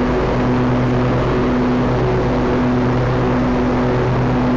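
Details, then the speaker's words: John Deere L120/LA140 riding mower after greasing the mower deck: steady, even engine drone with the deck spinning smoothly, no squeak or rhythmic chirp; much smoother than before. Normal deck operation. "alrighty that one is so much smoother"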